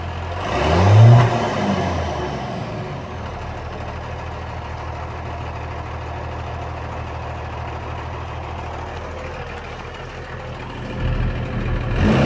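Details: Cummins 12-valve diesel, rebuilt .040 over, timing about 16°: throttle blips, then a lumpy, uneven low idle with irregular beats. Misfire worsens after revving or a few miles until it dies; fuel system parts replaced, cause not found.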